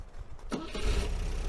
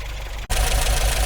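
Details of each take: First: 1980 MGB with the number one plug lead refitted, starting before a warm-up drive: a short crank, then a clean catch into a steady, even idle with no misses or stumbles, a healthy start. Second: 1980 MGB after a roadside breakdown, newly fitted distributor cap, rotor, leads and plugs, warming up after start: a rough, uneven chug with dropping beats, a poor misfire; owner suspects a 12-volt coil fed only 6 volts through the ballast wire.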